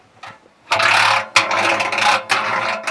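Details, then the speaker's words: Washing machine drum: a bra underwire slips between drum and tub near the heater and rides upward, making harsh knocking, rattling scrapes in bursts as the drum turns. "bu Bunun da sebebi bu tel içine kaçıyor şuraya giriyor Şura şuradan şöyle yukarı doğru kalıyor kazan da içinde döndükçe tak tak tak tak tak diye ses yapıyor"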